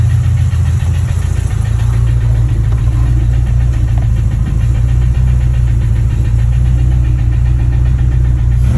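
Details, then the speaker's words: Freshly rebuilt H22 engine in 1992 Honda Accord EX, sleeved, forged pistons and rods, Type S head, Crower springs, turbo, first start; rapid faint ticking over steady idle rumble, in time with engine speed; block sounds good but valve clearances set too tight. "And it finally started, and as you heard uh it was didn't sound too good um Um, as far as the valves is the the block sounds good, but you can tell the clearances o"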